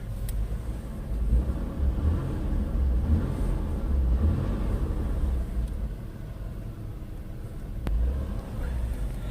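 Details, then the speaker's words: 2000 Ford Taurus, 145,000 miles, idling, heard in the cabin with the motor mount unhooked: only a soft engine rumble and no dash buzz; the noise had been the mount's metal rubbing its bracket and carrying into the cabin. "but now it's really quiet let me just be quiet for men let you listen again compared to about a minute ago"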